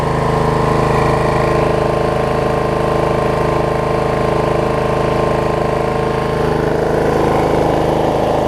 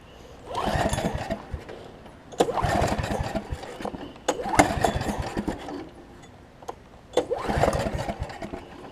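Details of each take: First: Snapper 28-inch rear engine rider mower after plug pulled and refitted, owner suspecting bad or too much gas had stopped it starting: smooth, steady engine hum with even beat, no surging or missing; running healthy. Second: Snapper 28-inch rear engine rider mower, in neutral, parking brake on, ran just before off camera: several short uneven cranking attempts with pauses, never firing; crank no-start, cause not yet found.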